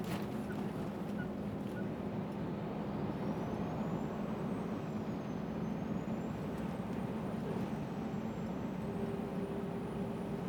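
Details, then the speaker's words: Scania R400 Streamline truck, Scania-remanufactured turbo fitted at 600-odd thousand, under load: thin high dentist-drill-like whistle drifting in pitch over the steady diesel drone; turbocharger whine. "Isso entra no ouvido, parece que você está sentado na cadeira do dentista e ele está com aquela maquininha ligada no seu dente ali, aquilo vai entrando no seu ouvido e você vai ficando gasturando, vai ficando nervoso e irritado."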